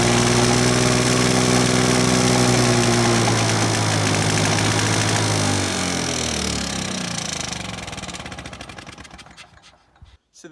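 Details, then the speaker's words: 1980s Victa two-stroke lawnmower that had become hard to start, running after replacing the spark plug, started first pull; steady crisp fast even buzz then winding down smoothly as it stops; normal running. "you go folks as simple as popping a new spark plug in and this victor two-stroke lawn mower from the 80s started first pull there"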